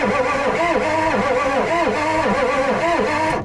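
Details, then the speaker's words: Ford 6.9 IDI diesel truck being revived, cranked with a good battery and a freshly charged jumper pack: the starter drags the engine over slowly at roughly three compression humps a second. Slow cranking, not fast enough. "All right, well, she cranks. Not really fast enough, but I mean, we can fix it if we gotta."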